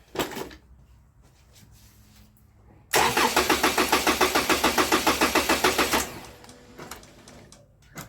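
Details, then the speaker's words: Toyota Camry, crank no-start case, after a one-minute battery disconnect as a hard reset with the fuel pump primed: it cranks, catches, runs about three seconds with even pulses, then cuts dead. No immobilizer codes, but start-then-stall suggests the immobilizer. "all right so even though there's no codes for the immobilizer I mean it did hit like when you start up it would start up immediately and shut down"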